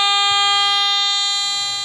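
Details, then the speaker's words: Garrett AT Gold metal detector with a 5x8 double-D coil, pinpointing by pulling the coil toward the user: steady, bright continuous tone that fades as the coil draws back. The drop-off puts the target just off the coil tip. "where my signal drops off, it's going to be right off the tip end of that coil."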